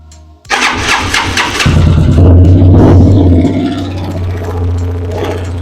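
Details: Italika DM 200 motorcycle engine at fast, high-revving idle with a metallic rattle or knock heard high in the engine top end.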